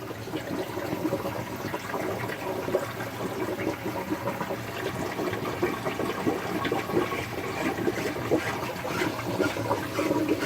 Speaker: did you hear that that big bubble just purged there must have been a bubble trapped in there somewhere it will Purge by itself but usually you will hear like a big clunk and then all of a sudden the bubble go